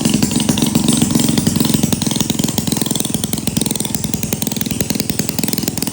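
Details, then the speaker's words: 1937 Maytag Model 92 single-cylinder two-stroke, running before cosmetic cleanup and repaint, needing no mechanical or ignition work: steady popping about three firings a second, fading slightly but even; healthy and regular. "Real quick before you leave me, I'll go ahead and fire this up for you real quick so you can see how it runs."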